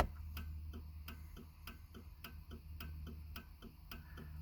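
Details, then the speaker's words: 1995 Cadillac Fleetwood with parking lights on (marker and brake lights lit): turn signal clicks about three a second, hyperflash as if a bulb were out, yet all bulbs are bright; cause unknown. "it's acting like there's a ball burned out so i'm not entirely sure what's going on there um yeah it's flashing faster"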